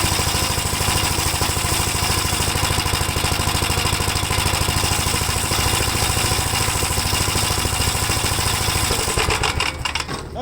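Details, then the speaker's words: 1957 Gravely started on choke with a battery that had sat but passed a load test. It chugs fast and steady for about nine seconds with no misses or stumbles, running healthy. "so after the battery sat for a while I know we load tested it it still had enough juice to start it up"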